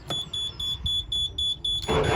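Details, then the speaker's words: Boat diesel engine, overdue for service, fresh diesel and oil checked: steady high alarm beeps about four a second, then a short rough cranking burst that never catches; won't start, owners suspect overdue service. "we've just tried to turn the engine on and it made some really weird noises it just started like it sounded like it was going to drop out"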